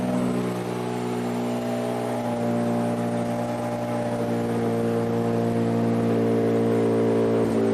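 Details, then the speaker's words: Toyota 2GR-FE V6 swapped into an MR2 SW20, nearly up to temperature. It idles steadily and evenly with the misfire gone; a faint puffing comes from the still-open O2 sensor ports. "all right so we're for Less up to temperature our miss is gone so all right well miss fire is gone"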